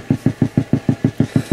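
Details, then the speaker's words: 1969 Fender Bandmaster amp, vibrato channel: low thumping ticks at about six per second, locked to the tremolo speed and heard even with the volume down. Tremolo tick bleeding through; it drops out at some speed settings. "okay as you can hear the ticking is now gone and you know there's a lot of things that can cause the tremolo to tick"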